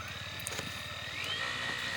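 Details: E-rickshaw gearbox with noise, motor turning freely: fast rattling tick under thin high whine climbing as it spins up; fault not in wheel bearing or motor but inside the gearbox pinion.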